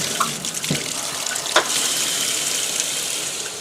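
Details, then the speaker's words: Whirlpool Direct Drive washer filling for warm rinse after a hot-enable timer modification: a steady rush of water with light clicks. The inlet valve fills normally. "you'll notice if I turn that off we lose the pot and just get cold you can actually hear the valve shut"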